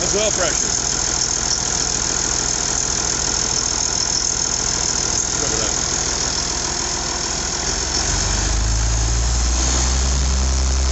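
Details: IH 5288 tractor diesel at first start after finishing touches, injector lines bled with fuel to at least four: even idle clatter of about three to four beats a second with a deep drone, better than in years; normal idle.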